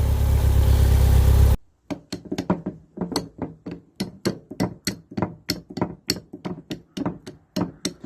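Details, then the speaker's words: Skoda 120 with Rover K-series 1.8 16v: after engine cuts off, sharp hollow clicks about four a second as the gear linkage moves, the clicking noisy gear change from worn gear linkage bushes, later rebuilt with new bushes. "That'll be the clicking and noisy gear change then."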